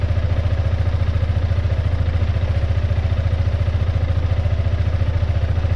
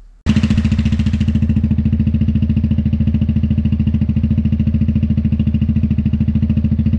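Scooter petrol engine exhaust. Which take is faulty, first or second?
first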